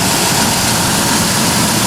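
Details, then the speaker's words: 1997 Ford F150 4.2L, morning start after adding Marvel Mystery Oil, driving, and an oil change: steady, even idle with smooth rumble and hiss. The cold-weather lifter ticking is gone and the valvetrain sounds healthy. "I started up this morning and I didn't hear any ticking cuz it was really thick and loud when it was"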